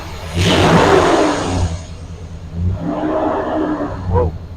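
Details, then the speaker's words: 1999 Dodge Durango after replacing the distributor pickup assembly, plugs, wires, cap and rotor over a recurring crank position sensor code: starts and revs with a strong even roar, settles, clean blip, no misses or knocks. Normal running. "yeah she sounds like she's running good good I did something right"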